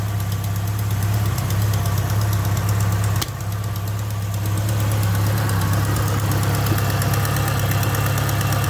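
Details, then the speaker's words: Ford Capri, 2 L Pinto engine with Ashley 4-branch manifold, started cold with choke knocked off: steady idle with a fast, uneven puffing chuff at number four cylinder from a blowing exhaust manifold gasket, before gasket replacement. "number four that's chuffing down here so I might just start it up so you can [Applause] hear knock the choke off"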